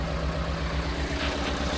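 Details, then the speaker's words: Piaggio Porter (Daihatsu Hijet) four-cylinder right after replacing the ignition igniter module; idle thumps with uneven stumbling beat and dropped pulses, still misfiring and rough, check engine light on, wiring problem suspected. "Okay. The check engine light. No. It still runs rough. The check engine light is still on."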